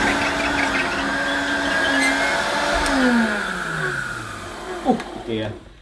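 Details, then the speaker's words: Hoover U1222 Turbopower Plus upright vacuum on plush carpet: motor whine sags and drifts under load with no steady brush beat, as the drive belt is broken (kaput) so the agitator isn't turning; motor otherwise fine apart from dry-sounding bearings. "yeah it doesn't work on this plush carpet because of the belt the belt is uh it's kaput a new belt and you know you wouldn't hear that noise"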